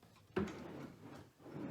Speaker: Hear that dragging in there? You don't hear that here. That's the difference in quality of slides.